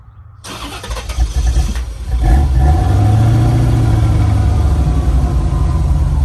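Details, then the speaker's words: 1989 C4 Corvette TPI right after fuel pump module replacement for long-start issue: several seconds of cranking, then catches and settles into steady even idle; starts and runs normally, possibly rail charging on first start. "runs fine for 124 degrees almost like at this temperature"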